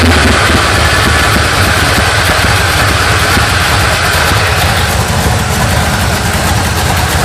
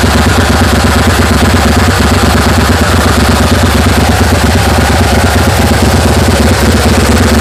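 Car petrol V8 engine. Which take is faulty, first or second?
first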